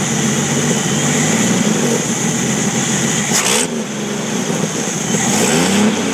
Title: Jeep YJ 4,2l I6 misfiring